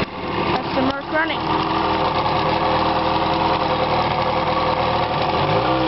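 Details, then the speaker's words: 1977 Mercury 20 hp two-stroke outboard on a 2003 Lowe 1467 boat, choke used: after a couple of rough catches it settles into a steady, buzzy idle; healthy. "so yeah that's the mark 20 horse running and and future I will have more videos of it running like actually in forward so"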